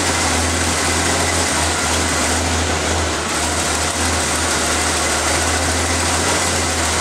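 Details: Engine started after valve cover reassembly with vacuum line clip, air filter and cover refitted, to check for leak hissing; steady even idle, constant low drone, no hissing or ticking over fan noise. Normal idle, no vacuum leaks.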